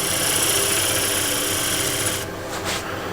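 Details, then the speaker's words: Wood lathe at 900 rpm, scraper with a fresh burr smoothing a cove on a tray blank: a steady, even hissing scrape with no chatter or catching, then it lifts off. A clean cut. "just by the look of the shavings and how the tool sounds I know this will be quite clean and it is"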